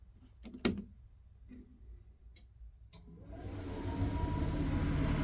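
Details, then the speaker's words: Suburban SF-30F furnace in a 2007 Keystone Sprinter RV, reinstalled after replacing the bad control board: a few relay clicks, then the blower spins up with a smooth rising whir and settles into a steady rush; the furnace starts normally. "Here comes the moment of truth. Let's see if it'll turn on."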